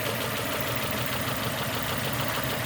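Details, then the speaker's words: 2002 Nissan Almera N16, QG18 cable-throttle engine, with a rough, lumpy idle and uneven low thumping. Cylinders 3 and 4 are not contributing, so it runs on two, because two ignition coil connectors were swapped after a spark plug change. "number 2 contributing, number 1 contributing. So right now the vehicle functioning on firing on 2 cylinders."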